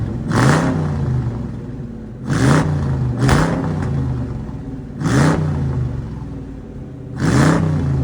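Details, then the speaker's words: '53 Ford F100 on a Crown Vic chassis, after a tune-up with new spark plugs and coils and the fuel pump primed. Revs climb cleanly on blips and fall back to a steady idle; it sounds better. "that sounded better"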